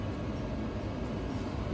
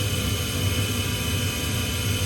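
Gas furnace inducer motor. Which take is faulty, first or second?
second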